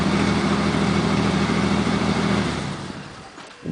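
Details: Chevrolet K30 with a 4.3, cold start at -9 (-26 with windchill): a slow, steady cranking chug about three times a second drags out before the engine catches. Weak starter motor, still working.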